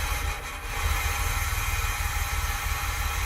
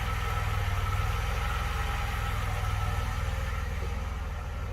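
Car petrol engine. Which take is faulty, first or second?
first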